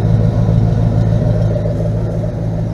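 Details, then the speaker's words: 1977 GMC Sierra K25 with a swapped 2002 Silverado 5.3L V8, 2.5-inch pipes and Flowmaster Super 10s, driven about 3 months without issues: deep, even V8 idle burble with no skips, knocks or ticks; healthy. "Runs really well. No issues with it at all. I've been driving it now for probably about 3 months at least. It runs really good. Doesn't sound too bad."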